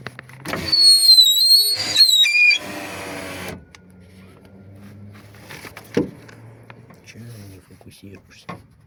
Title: #Субару Легаси свист стеклоподъёмника#Subaru Legacy window lift whistle